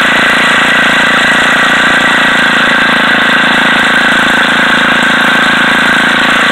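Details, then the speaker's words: Old Craftsman edger small single-cylinder engine salvaged from trash: steady, even buzzy run with no stumbling; running normally, the fault having been a very old, clogged air cleaner. "You hear it? It runs. It's in desperate need of an air cleaner. That was the problem. Very old, very clogged."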